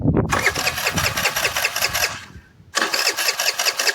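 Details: Old scooter under restoration: two bursts of starter cranking at about two and a half turns a second, and the engine never catches; no power is reaching the spark plug.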